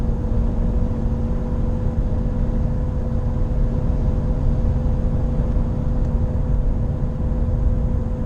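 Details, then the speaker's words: Nissan Qashqai J11 at 84,000 km: accelerating from 40 km/h in fifth gear up to about 100 km/h, a steady low drone grows louder and annoying under road rumble. Owner suspects a wheel bearing, unconfirmed. "Πέμπτη, το βουητό αυξάνεται. πέφτει στα 100 χιλιόμετρα. Το βοητό έχει αυξηθεί αρκετά. Έχει γίνει ενοχλητικό."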